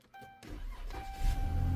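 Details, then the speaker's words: Push-button-start car towed in as a no-start, just after fuel pump replacement: short crank, engine catches right away and settles to an even idle; normal start, repair verified; check engine light likely from unplugged air temp sensor. "Hey, it fired right up. Normally, that 2C prime will kick in and pump the pressure up there."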